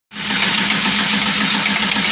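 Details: Cadillac CTS engine running with harsh, hissy metallic clatter and fast repeating rattle over idle; shop says it needs fixing after customer drove too hard, cause not confirmed.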